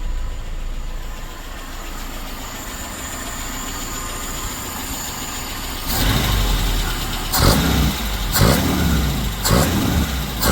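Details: Suzuki SJ413 1.3L with new Toyota 3K carburetor, ignition timing just set at cylinder one: even idle, then short throttle blips rising and falling cleanly with no misfire or popping; runs properly.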